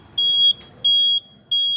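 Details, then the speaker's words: Fire alarm panel trouble beeps, three even high beeps repeating: zone 1 open circuit, smoke detector loop 1 address 8, south area; clears itself once reconnected if not acknowledged. "untuk trouble misalkan zone 1 dia open circuit, ini smoke-nya, ini loop 1 address 8."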